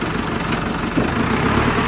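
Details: JCB 3CX backhoe loader, gearbox checked after a full overhaul: steady diesel drone under throttle in gear with no grinding, whine or clunks from the transmission. The gearbox sounds healthy.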